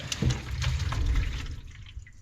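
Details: Infrared sensor tap that would not work only because it was switched off, now switched on: a short rush of water into the basin with a few drips, flowing cleanly and working normally.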